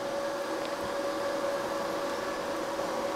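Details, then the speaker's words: Livoltek GF1-5K48S1 5 kW 48V off-grid inverter with 3.6 kW load switched on all at once: steady constant-pitch electrical hum over even fan hiss, no rising whine or crackle; inverter running normally. "Oke, di 3,6 inverternya masih normal ya teman-teman. Jadi bisa langsung menyalakan beban secara serentak."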